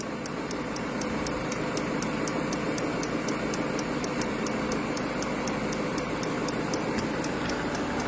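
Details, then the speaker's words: Peugeot 5008 diesel running after FAP additive tank replacement, no low-additive dashboard warning; sharp, light tick about twice a second is the additive pump priming normally, which takes a while. "voilà donc là on entend bien la pompe qui est en train d'amorcer voilà il faut la laisser faire ça va durer un certain temps"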